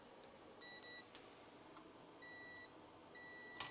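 Three clean, steady beeps in a row over a quiet room, each fuse showing continuity, so none are blown.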